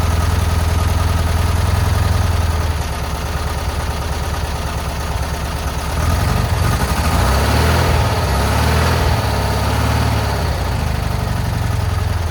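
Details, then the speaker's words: Free VW Bus off the road about 30 years, engine removed and serviced after mouse-nest cleanout, first start with exhaust just refitted: uneven, lumpy beat that surges and sags, barely holding a rough idle on its own. "It's almost idling. No way. No way."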